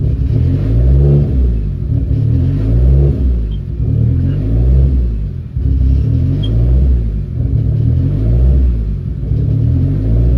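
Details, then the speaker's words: Hyundai Genesis Coupe running a fresh base map, 30 psi boost setup, plugs re-gapped to 0.013: high idle surging in a slow wub-wub cycle about every two seconds, swinging 1500–2000 rpm, unsteady and hunting. "So it's pretty high right now, right? 15 and 20s? Yeah. It jumps, okay. It goes wub, wub, wub, and in between it's going 15 to 20, 15 to 20."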